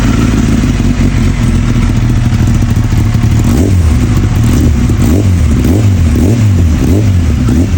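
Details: Kawasaki ZX-10R after fixing its stalling and poor idle in traffic, with new oil seals and new EBC brake pads: deep strong exhaust rising and falling with repeated blips, cleanly, no stumble or cutting out.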